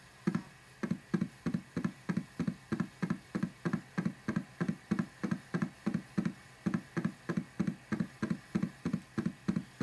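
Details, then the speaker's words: Smashed Atari 810 floppy drive, case reassembled and power supply board recapped: rhythmic knocking thumps about 1.5 per second during disk formatting, like an old washing machine. Rough mechanical noise whose cause is not identified. "sounds like an old washing machine we can format a disk"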